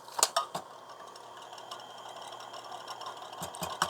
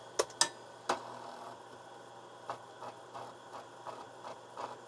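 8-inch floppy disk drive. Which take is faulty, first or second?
first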